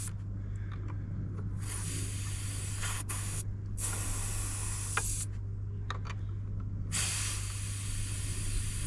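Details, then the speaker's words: Range Rover L405, front nearside air suspension strut deliberately deflated before a wheel bearing replacement: sharp bursts of hissing air over a low steady hum as pressure is released; normal venting. "I wonder if I could get a one of the sensor removal tools on it up so you hear the air come out already"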